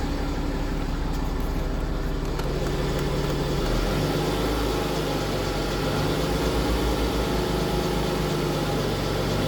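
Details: BMW F15 X5 with N57 diesel idling: uneven rattly clatter running under the combustion beat, like a worn timing chain.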